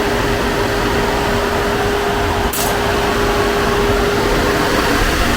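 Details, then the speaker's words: Rebuilt Copart-salvage 2013 Chevy Equinox at idle after a battery-post issue, nearly finished with crash sensors still to fit: smooth, even idle under steady fan rush, no knocks, misses or squeals; sounds good, engine healthy. "Okay. She sounds good. So guys, she's almost done. She's almost ready to go."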